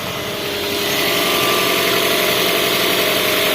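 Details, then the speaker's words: Toyota Camry dual VVT-i engine restarted after an oil change (old oil was black): even, smooth idle with light valvetrain ticking and no misfire; earlier roughness attributed to oil not reaching the top end. "halus. Oke, biarkan dia bersirkulasi dulu ya. Berarti kasarnya tadi karena memang oli bener-bener udah nggak ada yang naik ya."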